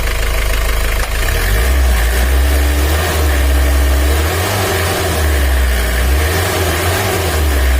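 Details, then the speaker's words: 2013 Mitsubishi L300 diesel with blow-by, complaint of weak pull, rough sound and high fuel use: heavy, steady cold idle before warm-up with a rough, uneven clatter on the low thrum, said to be oil not yet circulated. "Tapi waktu oli belum naik ada suara kemresek itu tandanya oli belum naik apalagi kalau mobil ngobos itu terdengarnya sangat jelas ini masih belum panas"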